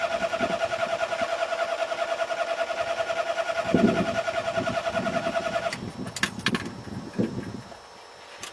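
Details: Car being cranked with the pedal pumped: the starter spins the engine at a steady rhythm of about three turns a second, but it never catches before the cranking stops. Crank, no start.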